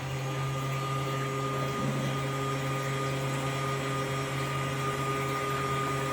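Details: Kings 12Ah power pack (about 10 A output) running two 1100 GPH bilge pumps: steady low drone at fixed tone while drawing about 15 A at just under 11 V, overloading the pack until it cuts out.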